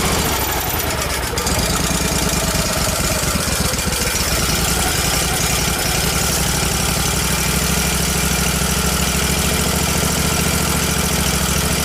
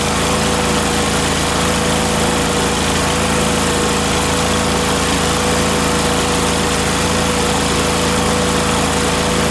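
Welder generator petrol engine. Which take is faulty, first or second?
first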